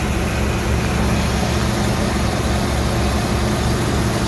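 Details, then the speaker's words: 1994 Ford E-350 van at idle after exhaust manifold refitted with a milled face and new spark plugs: deep, even idle with steady low hum, no ticking or puffing at the manifold; exhaust leak fixed, sealed and running smoothly. "like it is sealed up running very smoothly too i guess those old spark plugs were done"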